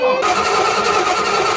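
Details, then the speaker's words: 1981 Chevy C1500, newly built cammed 350 small block, starter S-terminal wiring just completed: sharp start then steady even whirr over a second, no clicking or grinding; the starter now cranks the engine normally. "In the last video, we got all the power distribution wiring for the starter S terminal done. And thankfully, we did it right, which means this sucker now officially cranks."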